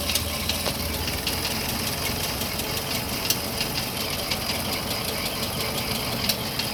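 Fast, metallic ticking rattle riding over a steady idle, crisp and constant throughout; worn camshaft followers clattering in the valvetrain.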